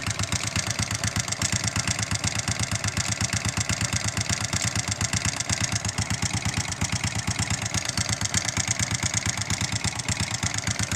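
Steady idle with a fast, fairly regular knock riding over the exhaust beat; a knocking engine, cause not yet pinned down.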